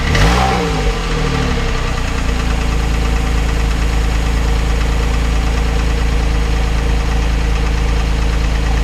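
Steady idle with a light, irregular knock riding over the low rumble, about three a second; knocking at idle, source not pinned down. Cause suspected, not confirmed.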